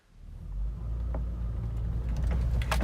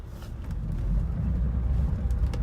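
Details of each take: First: Saturn Vue with engine idling: scattered sharp knocks and clunks each time the steering wheel is turned, pointing to a steering column clunk. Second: Saturn Vue steering column after pushing the joint and retightening: low steady engine rumble with no clunk while the wheel turns; clunking noise gone.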